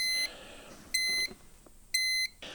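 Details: Dometic 2652 RV refrigerator: sharp high beeps about a third of a second, repeating once a second, fault alarm returns after the burner assembly and orifice were disassembled, cleaned, sanded and reinstalled; problem still not fixed.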